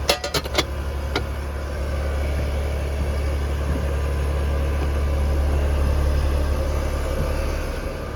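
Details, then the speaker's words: Condenser unit started after its capacitor was replaced: a couple of relay clicks, then an even compressor hum with steady fan rush. Compressor draws 3.9 A, condenser motor about 0.8 A, whole unit under 5 A. Normal running. "let's go ahead and start it back up she's Off to the Races"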